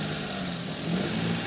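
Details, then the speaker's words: Maruti Suzuki Alto 800 after repair of a misfire attributed to the ignition coil: steady, even engine note rising smoothly with a light throttle blip, no stumbles or misfire; check engine light off. "अभी हम इसको start करके दिखाएंगे आपको कभी गाड़ी हमारी properly start है अभी कोई मिस्टेक नहीं"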